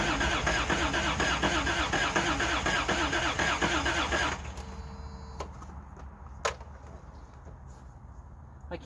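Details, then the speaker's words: Old Toyota Hilux DLX pickup with fresh gas added. About two cranking beats a second for four seconds with no firing, then a few clicks. Crank, no start: fuel pump not heard, and something was later found unplugged. "can't hear the fuel pump, so let's do a little investigating."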